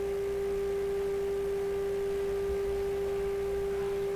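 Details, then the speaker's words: Hammarlund SP-600 receiver during 455 kHz IF alignment: 3 kc selectivity, RF gain at maximum. A single clean steady tone over faint hum with no squeal. Receiver healthy. "Go maximum RF gain. I don't hear that squeal now."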